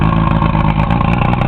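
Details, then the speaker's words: Johnson 115 HP VRO V4 outboard on a 1986 Invader boat, started and running with the water pump working: fast, even burble with steady firing pulses, no knocks or misses; normal running. "Go ahead and start it up. See it running there."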